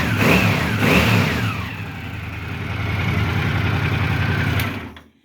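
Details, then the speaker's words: Honda CX650E prototype, first start during restoration with carbs and cables refitted, engine cold: it picks up cleanly on two quick revs, then settles to a steady, quieter idle; healthy throttle response. "like it was never shut off it's a little quieter than it used to be but motor still sounds good nice and quiet it's cold and I just reved it and it's responding still"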